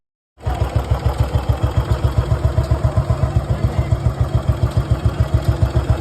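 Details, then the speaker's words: Restored Bullet Machismo 350 AVL, engine rebuilt after seizing from water, started with no battery fitted. A very quiet, even, steady low thump at idle with no knock or rattle: healthy. "Engine की आवाज यहां तक आपको ढंग से नहीं आ रही होगी य देख इतना साइलेंट इंजन है"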